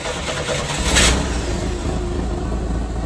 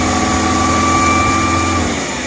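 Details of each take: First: 1986 Chevy S10 Blazer 2.5L, after runaway-idle fix by reseating the IAC pintle (vacuum lines, TPS, MAP also checked): catches and settles to a fairly steady but too-low idle with a short blip; idle much improved, still relearning. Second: 1986 Chevy S10 Blazer 2.5L with a runaway idle: a fast, steady racing idle with a constant high drone and no drop-off, during checks of vacuum lines, MAP sensor, EGR and PCV; TPS and IAC suspected next.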